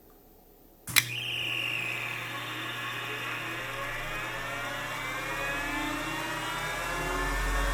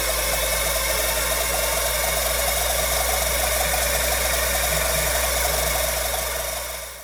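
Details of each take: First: Old Finch hard drive for a Centurion minicomputer, heads unlocked and spun up while owner fears a head crash: whine climbs smoothly then settles to steady hum, no screeching, scratching or zinging; heads flew, drive sounds normal. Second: Old Finch hard drive for a Centurion minicomputer, reassembled after spindle turned freely by hand: rough gravelly grinding with fast repeating scrape about four times a second, fading on spin-down; owner suspects the motor or possibly a head crash, unconfirmed.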